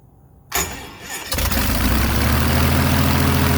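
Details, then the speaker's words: Airboat engine, prop fitted, switch-started: short crank, then a fast steady idle stuck around 1200 rpm versus 450–800 expected; idle circuits adjusted, but the cause was an air leak at the carburetor base gasket. "All right, the last time you saw me, I was struggling to get the boat to idle. The lowest I could get it to idle was maybe around 1200. It should be idling anywhere from 450 to 800, depending on who you ask."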